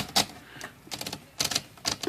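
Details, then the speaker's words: Smith Corona Sterling manual typewriter, platen just reinstalled after removing the index ratchet for inspection: crisp separate ratchet clicks as the platen spins freely, then a firm lock, tight with no slipping; normal ratchet engagement. "The spin halfway engaged. So there it spins freely, locks into place."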